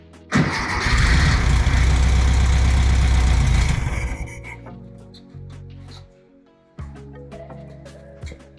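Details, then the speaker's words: 1964 VW Beetle air-cooled engine stored 8–10 years, fed from external fuel source: catches with rough roar for about three seconds then dies, running only on starting fluid; no fuel getting through, fixed later by cleaning the carburetor. "See if it'll start without the starting fluid. Go ahead. Okay. Yeah, it's just not getting any fuel."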